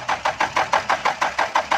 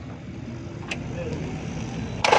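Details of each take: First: Diesel car (V2/B2), long cranking with no start: steady starter cranking at about six even pulses a second that never catches; glow plug heater relay fault suspected. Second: Diesel B2 (V2) that had long cranks and wouldn't start, started after feeding glow plugs (heater) directly from battery positive with a wire, bypassing a suspected faulty internal relay: short crank, catches straight away, settles to an even idle; normal diesel start.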